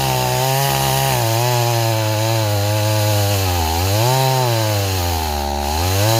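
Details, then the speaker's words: Stihl 026 two-stroke chainsaw, running too rich, revs rise and sag unevenly under the cut, bogging without clean chip bite; chain stretched with rakers filed too low, cutting poorly until a different bar and chain is fitted. "I'm going to try a different bar and chain okay I got us a different chain on here yeah that chain was stretched to hell"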